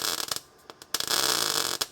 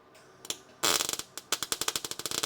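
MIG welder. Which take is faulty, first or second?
second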